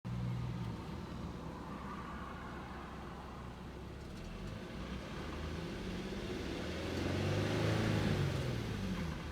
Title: 2011 Infiniti G37X Sedan Rattling Noise